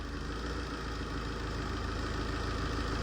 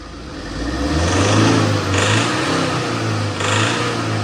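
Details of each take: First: Tata diesel pickup after ECU replacement: revved and idling evenly with a steady low thrum, knocking gone, no fault codes. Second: Tata diesel, shaking with engine light and fuel-system codes, fuel rail pressure about 200, below spec: throttle pushed, engine only swells briefly and never climbs in pitch; faulty high-pressure pump, off-mark timing belt, and damaged ECU found.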